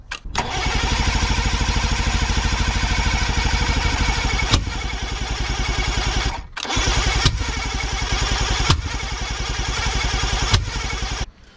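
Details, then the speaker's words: Outboard boat motor fitted with new key-start parts, cranked without a boat fuel tank hooked up: steady rapid cranking about ten seconds with a few brief pops off spray; has spark and compression but no fuel supply. "we didn't get to hear it run because I don't have boat motor gasoline tank thing hookups because it's the boat motors got that weird hookup thing he'll deal with all that but it's got spark compression it fires once in a while off of the spray and stuff"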